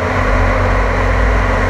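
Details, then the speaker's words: Whooshing airflow over a deep, steady engine hum on a Ford Crown Victoria as the fan spins up and holds an even speed; the owner's theory is that it blows hot air out faster, and the fan works normally. "all right hear the fan going now here's my theory it does work"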